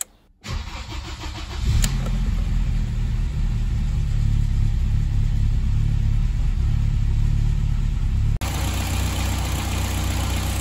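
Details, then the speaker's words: BMW M3 E30 S14 engine after ignition system overhaul including coil and new spark plugs: quick crank catches cleanly, revs briefly, then settles into a smooth, even idle with no misfire. "Voilà qui fait plaisir aux oreilles."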